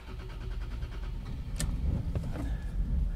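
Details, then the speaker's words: 1992-1996 Lexus SC300/SC400, first start after ECU install or battery reconnect: engine catches into a very low, sagging, uneven idle, then stalls; the ECU is relearning fuel trims and should stabilize after a few minutes. "your first startup is probably going to be rough it's not going to run right and I'll explain it after this so the idle is super low sounds like it's going to die and it dies"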